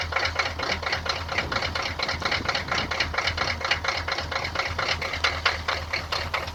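Cold diesel clatters with sharp, uneven knocks at idle, the rhythm stumbling instead of holding steady; rough idle, cause not pinned down.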